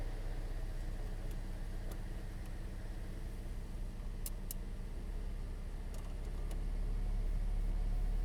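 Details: 2010 Toyota Corolla after radiator and coolant connector pipe replacement, idling with heat on while bleeding air, thermostat not yet open: quiet, smooth, low idle hum with light handling clinks, rising slightly as the fan comes on; idles cleanly.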